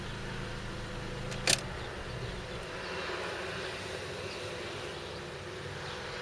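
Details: Fiat Fiorino 1.3 Multijet diesel at idle: steady buzzing whine with a low drone from the gearbox when reverse gear is selected; cause unclear.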